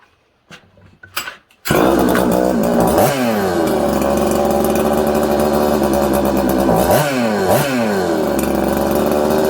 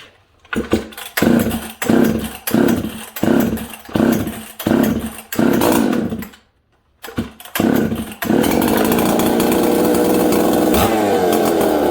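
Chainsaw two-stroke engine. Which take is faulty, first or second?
first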